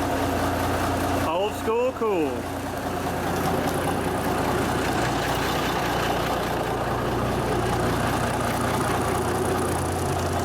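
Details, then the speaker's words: 1974 Kenworth W900A with NTA420 Cummins diesel, first start after three years sitting, started first try, recorded inside a building: steady low diesel rumble at even idle with no knocks or misses; sounds healthy. "sounds good inside a building"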